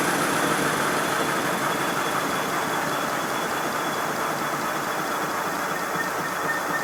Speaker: Yes, it's definitely an acoustic problem.